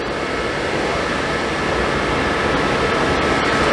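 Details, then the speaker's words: Suburban RV furnace after replacing the faulty gas valve that passed no gas: steady, even blower rush with burner lit, no popping, rumbling or clicking; running normally. "Smells good, sounds good."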